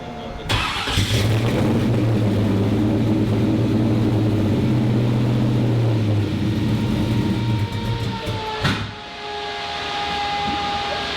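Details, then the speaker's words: 1957 Chevrolet Bel Air, engine being tuned for LS Fest: it starts into an uneven, lumpy idle with wavering pitch that dips and recovers; the idle was opened up two turns, raising it from about 700 to 800 rpm. "that didn't sound good that open it up open it up like it is about 2% how much two he there's two turns well what so it's about 800 RPM now from 700"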